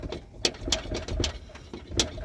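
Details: 1982 Ford Mustang GT being lowered, body rocked by hand and foot: irregular dull clunks and knocks; the upper control arm bolt had backed out and the loose arm shifts against the body.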